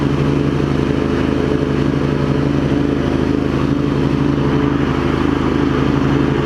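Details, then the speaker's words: Craftsman garden tractor with Kohler CV20, warmed up, after carb clean, new ignition switch and new primary belt on the 46" deck: steady, even drone with the blades on, no surging, bearing rumble or belt squeal; the deck runs normally. "you hear it's not surging or anything once it Finds Its Groove it's good and then we turn the blades on pretty quiet too not a lot of bear"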